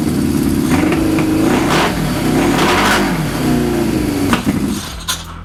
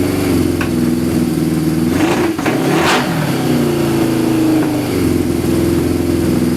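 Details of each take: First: Suzuki GS550 cafe racer, carburetors on new pod filters partly covered with gaffer tape to cut airflow, runs without choke for the first time, revving up and down smoothly with no stumbling or popping; proves pods let in too much air. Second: Suzuki GS550 cafe racer with individual pod air filters, carbs unsynchronized, running 2 minutes: steady four-cylinder idle on choke with throttle blips, dies without choke; running lean from pods, rejetting needed.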